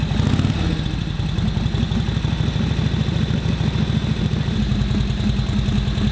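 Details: 1941 Harley-Davidson WL 45 cubic inch twin after ignition timing set: slow, loping uneven thumps at tickover; rough idle, idle mixture won't settle, carb float level suspected, not confirmed.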